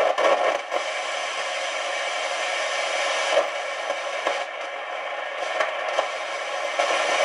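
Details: Realistic TRC-451 CB radio after full capacitor replacement: constant scratchy crackle and hiss with random pops over the receive audio, no signal; receiver noise remains, faulty transistor suspected.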